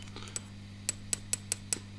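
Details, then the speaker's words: 1962 National-Valco tube amplifier with hum issues, 6973 power tubes testing weak: light taps give sharp metallic pings through speaker over steady mains hum; microphonic power tube needing replacement. "look at this one of the power tubes makes some noise as well"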